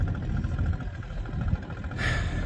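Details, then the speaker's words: 1983 Evinrude 70hp outboard, idle just turned down so it sounds right in neutral: low, slightly lumpy burble settling to a steady idle without surging; normal idle, though it lags in gear and may stall at this low rpm. "And just like that, I've got it turned down where the idle sounds good."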